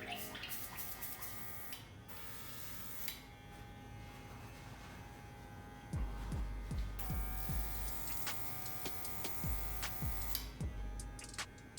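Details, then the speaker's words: Cordless compressor with master airbrush spraying mostly alcohol while cleaning out before mixing barber color enhancements: steady electric buzz and even air hiss, no sputter; normal spraying, how it should sound. "this is just like mostly alcohol how it's coming out a lot more clean and it's not sputtering you don't want it to sound like that's how you want it"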